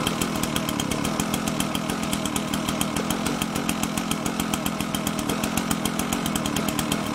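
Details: Husqvarna 125BT backpack blower two-stroke, spark plug wet: uneven buzz at high speed with irregular puffs and stumbles; mostly runs but spits, leaking somewhere; running rough.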